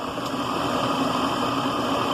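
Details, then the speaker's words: Delta Milwaukee DP220 drill press with slow-speed pulley and 1750 rpm motor, just remounted, belt possibly needing tightening; even steady hum with a faint mid tone, no knocks or rumble. Runs really smooth. "but the thing is really smooth it's a slow-speed pulley"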